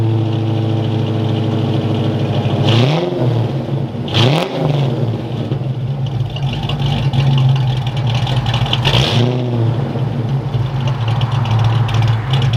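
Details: Fox body Mustang V8 (about 200 hp) with new custom exhaust, BBK equal-length shorty headers and full 2.5-inch system replacing 2-inch over-axle; deep lumpy idle burble swelling cleanly on three quick blips, very loud at the rear, good tone, normal.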